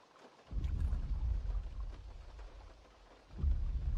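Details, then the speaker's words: 4th gen Toyota 4Runner automatic driving slightly uphill on smooth road at low speed and low rpm: low uneven rumble-strip shudder from torque converter; fixed with Shudderfixx additive. "like you can see I mean this is why they give it the name a rumble strip uh transmission issue I mean that's exactly what it sounds like"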